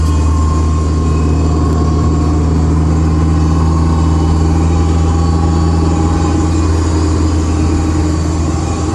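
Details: Honda S2000 AP1 while driving: steady, even whine over road rumble from the driveline; owner unsure whether differential or transmission.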